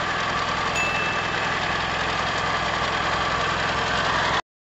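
Small single settles into a steady, even idle with no misses or stumbles; it runs smoothly.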